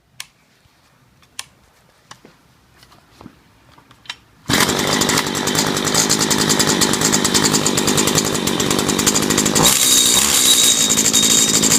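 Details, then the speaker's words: Stihl FS85 trimmer that wouldn't start, now fitted with a new ignition module (gapped about 0.25 mm) and a new carburetor: light pull-cord ticks, then it fires and holds a steady, even high two-stroke buzz. Normal running. "and works like a champ"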